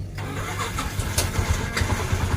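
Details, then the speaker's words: Yamaha Jupiter motorcycle whose starter wouldn't work: the starter socket is bridged with iron to bypass the switch, giving a steady, even starter whirr with no clicking; starter motor is fine, so the fault lies in the starter switch. "Well, we can hear it, it's alive, so in the case of this motorbike the problem is with the switch"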